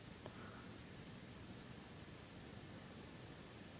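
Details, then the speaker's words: PlayStation 3 that was overheating and shutting down, with the fan getting louder, restarted after new thermal paste: a soft, steady airy whoosh with no rattle or grinding. The fan runs smoothly and cool air comes out the back. "I don't you heard the fan it's running smoothly and it feels cool the back I'm feeling cold air"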